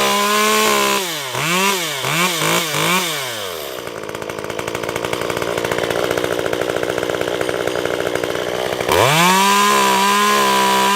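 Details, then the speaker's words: Stihl MS194t chainsaw after fuel-issue repair, warm and cutting wood: crisp blips to full revs, then a steady slightly lower drone as the bar bites, recovering cleanly; strong, healthy saw under cutting load. "Not too bad."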